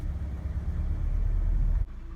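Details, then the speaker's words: 1999 Ford Ranger 2.5L after starter replacement (truck previously wouldn't start, bad starter suspected): low, steady even rumble at idle and light revving, no knocks or misses; running smoothly. "yeah man she's good you can rev it a little bit nice she's running"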